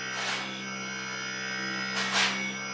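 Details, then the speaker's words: Voltas inverter AC after PCB repair for PC 00 error, compressor restarted via remote: steady, even hum with constant tones and no knocking or rattling; compressor running well. "तो देख सकते हैं आप बहुत बढ़िया कंप्रेसर चल रहा है"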